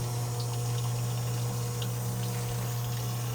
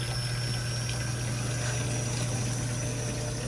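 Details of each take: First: Electric fuel pump with fuel too low to submerge it, the cavity not filling: low steady hum with a gurgling, uneven wash of liquid; the pump keeps sucking air and struggles to pull in fuel (cavitation). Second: Brand-new fuel pump running on the bench as its container fills with fuel until the pump is submerged: a steady, even low whir at one pitch with liquid trickling, no surging or rattle; normal operation.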